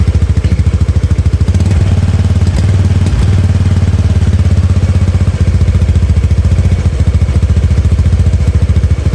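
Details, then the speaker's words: Honda Beat FI scooter after spark plug replacement and ECU manual reset: even, steady idle with regular low firing pulses holding one speed, no hunting; idle now stable, throttle response still sluggish. "Oke teman-teman bisa dengar sendiri ya jadi reset modul satunya ini berhasil ya jadi gasnya ini udah stabil"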